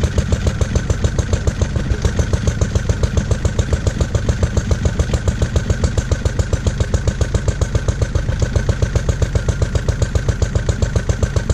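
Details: Lister D single-cylinder petrol engine (ex-forge, with Aerograph compressor), first start after 20+ years and restoration: roughly 3.5 beats/s single-cylinder thump, slightly uneven and jumpy, no knocks; owner suspects timing and carb settings need adjusting.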